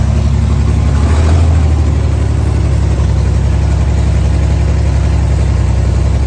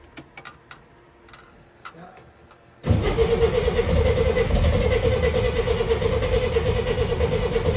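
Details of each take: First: 1964 Chevrolet Corvair running on gasoline for the first time: low steady even idle with no knocks or misses, earlier knocking gone, idle set slightly high; normal idle. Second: 1964 Chevrolet Corvair, first start, spark fixed by cleaning distributor points: starter churns near three beats a second and catches weakly without running clean. Firing on one side only; right-hand carburetor throttle butterfly seized closed.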